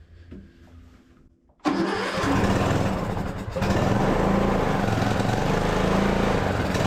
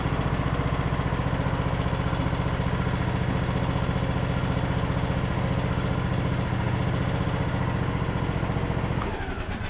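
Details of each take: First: Craftsman LT2000 riding mower with a Nikki carburetor, sat a couple of years, oil level fine, choke on: it catches and holds a fast, fairly even beat but runs only on choke; the carburetor is being removed next. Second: Craftsman LT2000 riding mower, single-cylinder engine after carburetor cleaning and fresh fuel: even putter about 220 beats a minute for nine seconds, then clean shutdown; engine sounds good.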